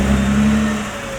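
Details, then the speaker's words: Nissan GT-R R35 MY20 creeping in reverse after cleaning rust off the left front hub ring mating surface: steady low engine hum, no clicking from the left front wheel, which clicked before maintenance. "バックでもカチカチ音は鳴っていません。"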